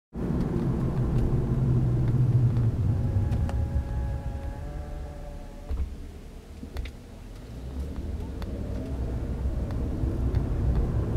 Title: BMW E90 Brake Noise